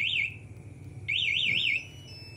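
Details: Yamaha MX King 2020 with an aftermarket MP smartkey alarm: remote moved about three metres away, the engine will not start with the ignition on, and the loud warbling siren sounds in short rising and falling bursts. The anti-theft alarm triggers correctly.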